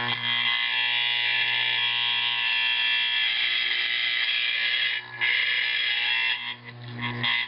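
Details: Simplex 4051 horn converted to 24 V AC 4050 after adjusting magnet bolts while sounding and loosening front volume screw: loud, steady buzzing blast with strong high rasp, continuous and even; correct tone.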